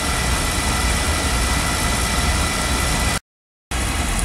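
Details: Beckett oil burner after repair of a burner-shutdown fault, CDS cell suspected: even steady roar of flame and fan, no surging or sputtering, apparently past the lockout period and firing normally.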